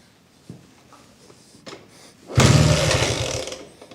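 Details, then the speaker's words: 1980s Italjet Skipper 125cc motorbike, kickstarted: a few kicks, engine catches about a second and dies; ignition light apparently shows spark and compression is present, but it's hard to start. "Yeah, I got the light and the bike almost started, but it's hard to get it started."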